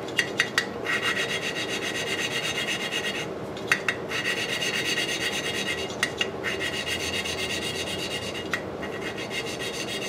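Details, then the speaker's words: Lapping the exhaust valve on an antique Briggs & Stratton 5S engine with coarse compound, seat initially poor: repeated gritty rasping strokes with light taps at each reversal, the scrape smoothing as the valve beds into its seat. "If you hear it cutting, what we want to do, our goal is to get like a grayish line right around the bottom of that. You can hear how it gets, the sound gets smoother."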